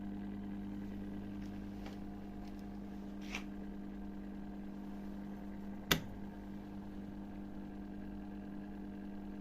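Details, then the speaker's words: Miele dishwasher after repair, drain hose refitted: a low, steady hum with one brief knock and no rattle or gurgle; the drain pump is running normally again. "je remets son tuyau de vidange et comme on peut l'entendre et refonctionne voilà on entend bien la pompe de vidange"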